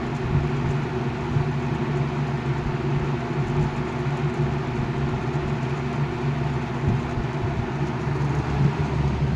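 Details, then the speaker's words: 1980 Galaxy 3713 three-speed box fan with a shaded-pole motor: steady low hum with a buzzy rattle from the loose rear grille, growing louder toward high speed (2 amps). Owner may add friction tape behind the guards. "Start to hear the grills rattling. It's the back one."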